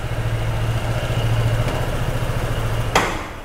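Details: 2021 Honda SH 125 FI scooter at idle, diagnostic scan showing air-fuel ratio around 14.7:1 after fault traced to an improvised wrong gasket: steady low even idle pulse, no rattle or hunting before shutdown; normal idle.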